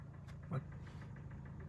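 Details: Hyundai i40 G4NA, original mileage, started knocking in winter, parked since: low idle rumble with quick light metallic tapping at steady rate; strong piston knock, cylinder scoring found on teardown.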